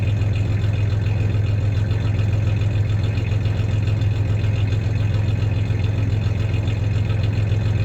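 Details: 1993 Ford Ranger 3.0 V6 idling with a little rev: steady low idle with faint uneven stumble every so often; slight misfire, cause not stated; clanking is bed tie-downs, not the misfire.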